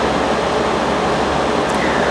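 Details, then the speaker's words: Fridgemaster 12300 BTU portable air conditioner with a conventional compressor: steady loud rushing drone with constant compressor hum, one fixed fan speed, about 66 dB from eight to ten feet; cycles constantly. "so the fridgemaster operates one speed only you can't adjust the fan speed and you will see it's consistently 66 decibels when it runs from approximately eight to ten feet away"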